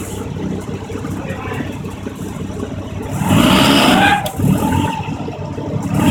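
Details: Mazda RX-7, thin wavering mid-pitched squeal when pulling away from a stop and sometimes on shifts, as the clutch engages with pedal releasing and rpm drops to match input shaft speed; not a belt squeal.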